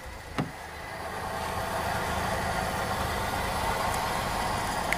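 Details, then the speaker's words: Toyota Yaris idling; uneven, lumpy idle with faint irregular knocking under engine hum; AC compressor underneath is loose and wobbly, damaged compressor blamed for rough engine sound; fan and WTS sensor fine: rough idle from damaged AC compressor. "Kok suara mesinnya kasar karena apa kasar karena kompresornya rusak"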